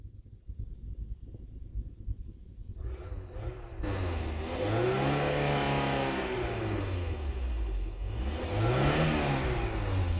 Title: talbot express misfire gone when warm